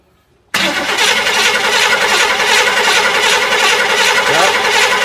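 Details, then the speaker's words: Barn-find 1967 Chevy El Camino, L34 396 big block (350 hp), sat about 21 years, new battery: the starter churns steadily but it never fires, with no spark. The owner suspects the coil, points or a grounded condenser. "so yeah got no spark so no use getting put any fuel to it until we get some spark"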